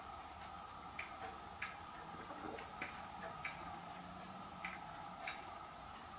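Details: Hermle weight-driven grandfather clock movement on a homemade leveled test stand (F-350 rotor disc base), pendulum just fitted; soft crisp ticks every half second to second, fairly evenly spaced, running healthily in beat.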